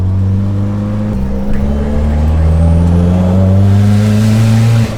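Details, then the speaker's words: Turbocharged LS V8 at full throttle, peaking at 7.5 psi boost (down from 28 psi the day before); possibly running rich. A deep roar climbing smoothly with no stumble or popping. Normal boosted full-throttle pull. "was perfect with that full throttle yeah so we peaked at seven-and-a-half psi is beautiful that was a nice bounce nice smooth pull"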